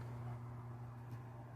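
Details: Transformer test with a 4 µF capacitor in series and a 50 ohm resistive load on the secondary: loud steady low hum with coarse buzzing growl, no rhythm; heavy current draw, waveforms turn pointy, owner assumes core saturation.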